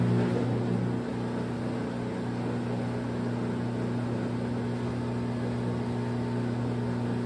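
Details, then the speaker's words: LG front-load washer after hot and cold water valve replacement, diagnostic mode, tumbling (likely regular wash): steady motor hum, smooth even drum rotation, no knocking or scraping; normal. "right now it's just uh regular wash or I think the first price is a regular wash and the next press will be a slow spin it's tumbling right now number two"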